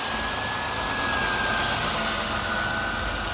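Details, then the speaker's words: High-mileage vehicle idling after three power steering fluid flushes with Sea Foam Trans Tune, steering turned lock to lock: faint steady high tone and no whine or groan near the pump and reservoir, where it was loud before. "by the power steering pump and reservoir you're not hearing any noise"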